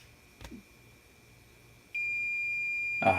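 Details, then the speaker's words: Hakko FX-951 soldering station switched on with no iron plugged in: single steady high-pitched error beep. "plug the unit into the wall and of course the first time you turn it on without this plugged in we should get an ear-piercing error message"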